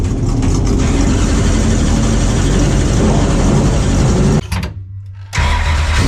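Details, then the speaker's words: Freshly rebuilt race car V8 started in cold garage with heater on: lumpy idle strong and even, a touch fast, brief rev dip before settling, no knocks or misfires; exhaust may rattle slightly. "well it runs sounds good um mind minding the exhaust might be rattling a little bit hopefully didn't uh wake any of the neighbors up"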